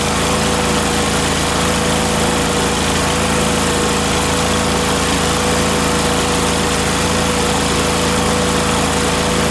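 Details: Miller Trailblazer welder engine after fitting the vacuum-operated fuel pump: steady constant-pitch drone, no surging or stumbling; pump was the fault, mixture screw adjustments at high and low idle did nothing.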